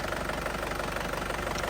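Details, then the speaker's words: 2010 Panther Grand Touring diesel, warm idle: steady, crisp, even clatter with no misses or shake, no smoke from oil cap or dipstick; characteristic Panther sound indicating a healthy engine. "Terus suaranya masih pulen banget, masih renyah, itu masih suara ciri khasnya Panther lah, itu menandakan mesin sehat."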